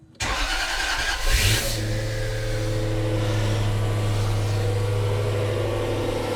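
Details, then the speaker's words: Jaguar S-Type V8 first start after new engine fitted, about −10 °C outside, belt not connected: starter whirs briefly, catches and settles into smooth, even, quiet low idle, lots of smoke that clears; normal idle. "that is very very smooth definitely an all eight very nice and quiet ton of smoke out the back but that is sort of to be expected"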